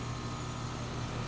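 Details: Comfortmaker outdoor AC unit after a failed capacitor was replaced on a no-cooling call (compressor had not been running): steady, even low hum with constant fan rush, no clicks or surging; normal running.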